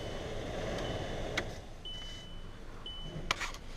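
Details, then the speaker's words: VW Jetta heater blower motor with new blower motor resistor connected, key on test before reinstalling: steady, even fan rush, no rattle, squeal or surging, a couple of short chimes; blower and resistor both work normally. "so now that we know it both works you want to get it back up in here safely and then put everything back together"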